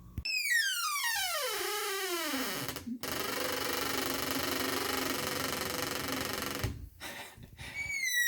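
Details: Squeaky interior door hinge between master bathroom and bedroom: a long, dry, downward-sliding squeal as the door slowly swings, before lubricating the hinge with a food-grade vegetable cooking oil spray.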